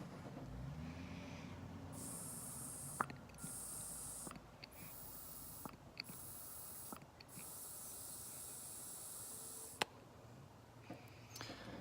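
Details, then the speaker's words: 1973 VW Super Beetle, hesitation and stumbling: distributor vacuum advance canister sucked on by mouth gives sharp airy hissing, won't hold vacuum; leak possibly at rim or internal diaphragm. "you suck on this can it should hold vacuum and it's not holding vacuum that one little problem very well could be"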